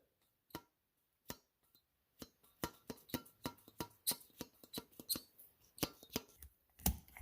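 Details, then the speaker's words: 2015 Ford F250 starter removed and bench-tested: drive worked by hand gives irregular dry clacks about once a second, rough not smooth; owner suspects dried-out pivot points and dirt contamination rather than weak solenoid. "it's not sort of smooth either so"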